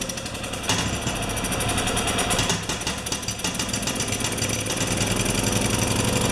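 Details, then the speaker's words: Makita G2400R generator (Subaru engine) fitted with a Briggs & Stratton carburetor, no choke: uneven stumbling chatter, speed hunting instead of holding steady. "I did this and I got with the feed from the bottom with the gas feed from the bottom and it just ran terrible but it did run"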